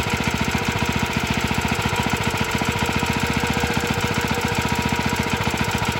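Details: Very early 1954-55 Suffolk Iron Foundry Model 1A single-cylinder engine, cold, original carb needs cleaning: steady running with quick even clatter about twice per second; a little rattly, less bad in person.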